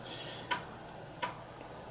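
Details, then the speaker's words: Commodore Amiga 1200 floppy drive (previously temperamental, hit-and-miss) on a full-disk read test: soft regular ticks about every 0.7 seconds over quiet spin noise as the head steps track to track; normal head stepping, drive reading fine. "and it's reading the tracks and don't worry about this slow speed up at startup sorry um you get that on some amiga drives"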